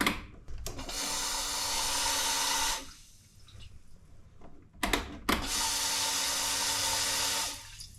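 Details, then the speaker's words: 2011 Can-Am Outlander 800 fuel pump at key-on prime, bike running as if on one cylinder; two-second bursts of watery sloshing and gurgling instead of a clean whir, owner suspects a hole in the line; weak fuel pressure, fixed by replacing the pump assembly. "so you can hear how that's sloshing around um so I believe there's a hole in the line"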